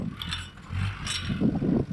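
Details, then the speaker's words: Land Rover crawling over rocks on a young-driver Tyro trial: loose metallic clatter and ratcheting bursts under low drivetrain rumble; a new suspension rattle, possibly a shock absorber cover, not confirmed. "we definitely got a new rattle I'm not quite sure what that sounds like I'm sure there were some experts out there possibly a shock absorber cover tingling away"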